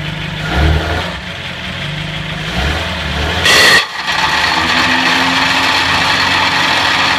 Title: 1950 Buick grinding/clicking noise.